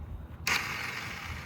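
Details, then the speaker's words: Cheap used marketplace dirt bike that had been running fine; on restart attempt a short high whirr spins up freely with no compression chuffs, starter turning without cranking the engine; cause suspected, not confirmed. "The bike seems like it runs fine. I mean, that didn't last long. I went to turn it back on and this is all we're getting."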